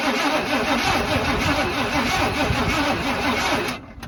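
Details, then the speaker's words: Abandoned barn-find square-body Chevy truck: about four seconds of steady cranking with no firing, even with starter fluid; owner suspects ignition timing is off, maybe the advance, and the distributor won't turn; cranks but no start. "I can't really get it to fire at all I'll use a little bit of starter fluid just to try and it won't fire and it sounds like the timing's off maybe the advanced timing"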